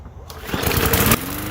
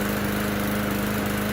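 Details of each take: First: Bolens mower bought as a non-runner, after cleaning and refitting the top cover; after the pull it fires in ragged, uneven bursts and settles into a weak, lumpy run, same problem as before, dirty carburetor needing proper cleaning. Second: Bolens mower after a new notched gasket fitted; smooth, even drone stepping up to a higher steady pitch as throttle opens, running cleanly with no stumble.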